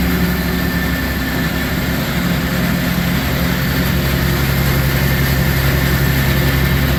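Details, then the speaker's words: Newly bought Gehl 100 grinder mixer with hydraulic augers: steady low tractor drone with an even mixer hum, no knocks or grinding surges. Normal, smooth running. "But yeah, it runs nice and smooth. All the augers work. They're hydraulic."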